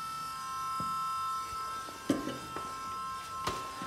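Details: Ford (Famoco) 12 V electric power steering pump in a 1939 Ford cab-over truck with a stock flathead on an 02 Durango chassis, feeding a rack and pinion: constant high buzzing whine, no rise or grind; normal running.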